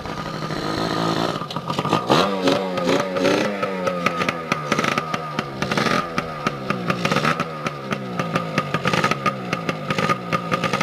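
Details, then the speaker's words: 2002 Yamaha PW80 two-stroke, first cold start after sitting over 2 years, oil pump removed, air filter off: crisp ringing note revs and drops cleanly with light rattle; steam from spilled oil, not exhaust leak; runs well. "I thought I had an exhaust leak there, but it was just the, like the steam from the crap I spilled on the motor when I was ditching the oil pump. But yeah, she's a good little runner, quick little peppy bike."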